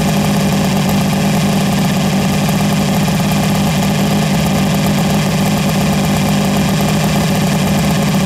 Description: Idling at 1300rpm the timing was out of range of decal and sporadic??